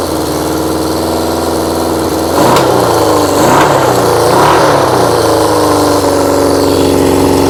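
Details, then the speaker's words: Engine running through vacuum-fed carbs with no air restriction: uneven lumpy running, ragged pulse about four per second, rising roar; rough running the owner expects from the unrestricted carbs. "obviously it's going to run like Hammer chip because there's no um air restriction on it at all"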